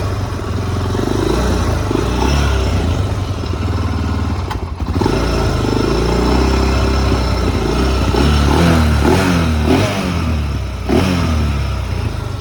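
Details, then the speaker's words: Like-new, all-original, low-hours 2004 Honda TRX400EX, started possibly on choke: a deep thumping single settles into a steady idle, then crisp throttle blips rise and fall cleanly. Normal idle and revving. "So let's fire it up where y'all can hear them horses run. I may have to choke it, I ain't sure."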